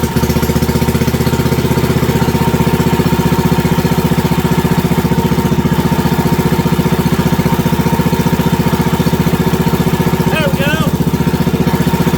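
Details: WWII Wisconsin AB military Signal Corps generator, last started 70 years ago, running after fuel was poured into the float bowl and putting out about 117–120 volts: an even, steady putter of about three beats a second with no misses or surging. Normal running.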